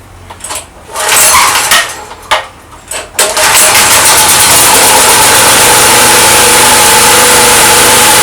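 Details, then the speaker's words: Petrol generator that kicked back hard on the pull cord and backfired into the carburetor, after valve replacement; a few hard pulls then starts cleanly and runs steady and even with no kickback. "так заводим працює і тільки після заміни клапана Хоть я і перевіряв пускати і все ж таки заміна помогла"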